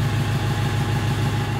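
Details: Fiat Ducato 2.3 diesel starting and running after a no-start fault traced to the immobilizer code box/antenna was fixed: smooth, even idle with a steady low beat, no knocks, misses or hunting.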